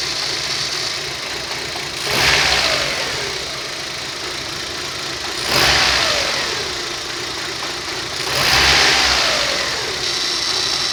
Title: Rover 25 1.4 - Warm start, Rough Idle, Problem (Fuel pump?) [UPDATE: faulty o2 sensor]